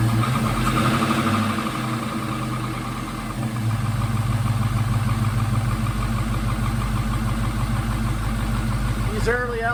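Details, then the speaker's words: LS V8 in a 1956 Chevy pickup, first cold start after installing a modified standalone wiring harness. Engine fires and settles into a rattly, diesel-like knocking idle with a quick even beat; cold piston slap, start otherwise successful. "have a lot of piston slap when they're cold almost sounds like a"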